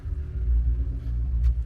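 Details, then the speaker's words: BMW twin-turbo after fixing an exhaust leak: deep, even engine rumble with gentle swells and no ticking or puffing at the manifolds; exhaust sealed, sounds far better than before the fix. "Oh man, she sounds so good compared to what she used to sound like."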